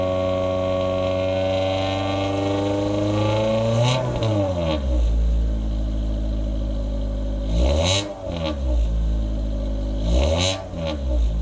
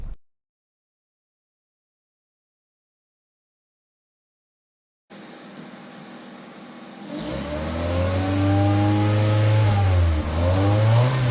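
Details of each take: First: 2000 Honda Civic with a cat-deleting header and test pipe, OE piping and muffler, before the resonator was added, accelerating: a coarse, buzzy exhaust rasp rises above about 2,800 rpm. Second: 2000 Honda Civic with eBay header and test pipe (no catalytic converter) after adding a resonator installed in the correct direction; smooth deep exhaust note rising cleanly through acceleration, raspiness virtually eliminated.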